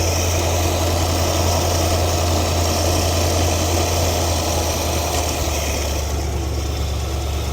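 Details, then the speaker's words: 1973 Ford Econoline E200, 302 V8, after carb clean fixing clogged idle passage, idle lowered to about 1000 rpm: low, even burble, glass smooth, nothing shaking or rattling; normal idle. "Hopefully you guys can hear the difference, but this thing is glass smooth right now. Nothing's shaking, nothing's rattling."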